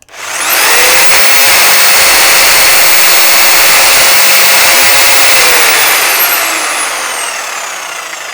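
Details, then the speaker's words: Milwaukee FSPE-110-QX corded jigsaw after repair, with the damaged gear wheel replaced to cure a clacking clunk and vibration. Spins up to a steady high whine and winds down evenly, with no clacking or clunking. Normal running. "Obviously it won't be quiet. This is still a noisy power tool, but hopefully that bad clunk will be gone and the vibration."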